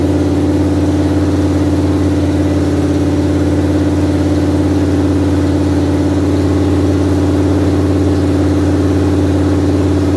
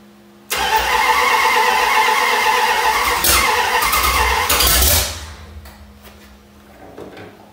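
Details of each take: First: 1973 Dodge Dart engine revived after unknown years sitting, idling: smooth, even idle with steady low drone, no misses, knocks or ticks; engine running healthy. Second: 1973 Dodge Dart engine first start after unknown years sitting, new module wiring: catches and runs loud and rough about four seconds, then dies; weak, run-down battery while timing was being adjusted by turning the distributor caused the stall.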